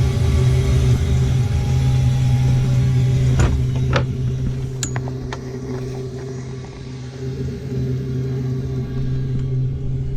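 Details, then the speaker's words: Old Eberspächer D1L diesel air heater from a sailboat, first start in years with new glow plug and clean fuel: steady low hum with sharp ticks from the dosing pump; burner lit and running evenly. "You can hear the pump is starting to make a ticking noise, and it's building a flame."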